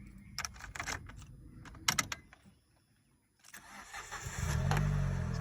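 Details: Car started with the original key after a duplicate key failed to start it: clicks and rattles, a pause, then a quick crank catching cleanly into a steady idle. Mechanic says the no-start was the duplicate key, not the battery or starter.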